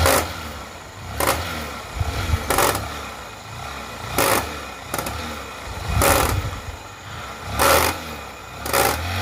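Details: Honda Shine motorcycle idling with a loose clatter, louder surges every second or so as it's blipped; chain noise, sounding like a worn chain and sprockets.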